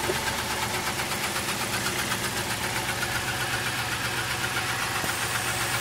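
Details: 1999 Town Car that suddenly began misfiring, codes for cylinders 4–8 misfire and bank 1 and 2 lean: idle stumbles with an uneven chuffing beat of about four pulses a second over a hiss, still sputtering.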